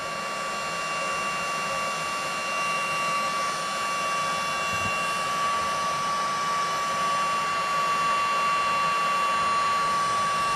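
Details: Cordless heat gun shrinking a solder-seal wire connector, running on a fresh battery after the previous one died: strong steady fan roar with a constant high whine, running at full normal strength.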